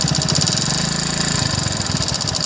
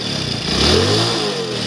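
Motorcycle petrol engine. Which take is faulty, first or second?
first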